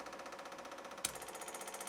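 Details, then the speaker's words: Spoolie Boi open-loop boost controller, scramble boost button pressed: fast, even clicking from the MAC boost solenoid with a clear audible change in pattern partway through; normal valve pulsing. "Hear the audible change of the Mac valve."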